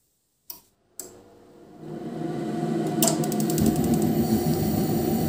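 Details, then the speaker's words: Ariston Uno 24 gas boiler after board repair, fan relay replaced: ignition and relay clicks, then a steady fan rush with light regular ticking as the burner lights; normal start-up, fan no longer stays on and no restarts. "see, the boiler is working as expected."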